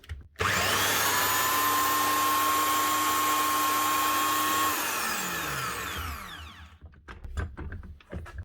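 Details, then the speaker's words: Virutex MC16L door lock morticer after replacing bearings and a bronze bush: motor spins up to a clean steady high whine with no rumble or rattle, then coasts down smoothly; running properly again. "Up and running properly again."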